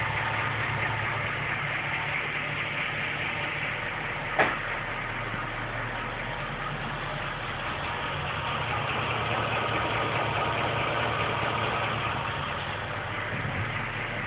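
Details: Ford BA XR8 Boss 260 5.4L V8, 56,000 km, noise only when warm since 49,000 km: busy top-end tick and clack at warm idle; owner attributes it to factory-defect warped heads wearing valve guides, both banks, left worse.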